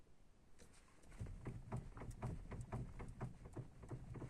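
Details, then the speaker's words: Ford Focus 2 steering knock: dull, uneven knocks about twice a second from low down while the wheel is worked; owner suspects worn ball joints on the steering tie rods needing replacement, not confirmed. "походу шаровым на рулевых тягах вот этим шарниром хана надо бы заехать Да поменять"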